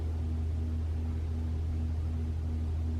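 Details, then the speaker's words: 2021 Toyota RAV4 Prime SE in EV mode while plugged in and charging, 47 °F early morning, climate on Auto with AC off: steady low hum, faint drifting tone, no harsh noise; heat pump running normally, no infamous noise. "we're gonna hit Auto the AC off no it's fine I can hear it humming"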